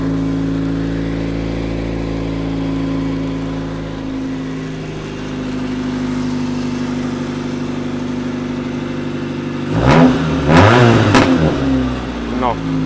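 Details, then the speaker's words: V2 engine generator/cogeneration unit after fuel setting moved to the fourth position: steady even engine drone with a smooth unchanging beat, a few handling clunks near the end; runs better after the fuel adjustment. "Let's try it again now you may not hear it but the sound is much better fourth position"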